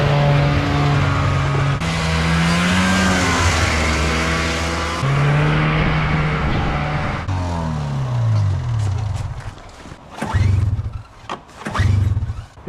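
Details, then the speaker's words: Old two-stroke engine with spark confirmed, mixed fuel poured straight in: revs hard, then stumbles and dies in ragged bursts, won't idle or start on its own; suspected fuel filter or clogged carburetor passages. Runs on direct fuel but won't idle. "when we pour gas straight in the engine it runs great but it won't idle and we can't start it"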